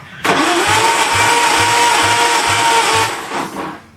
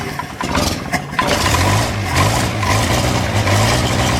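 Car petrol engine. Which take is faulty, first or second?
first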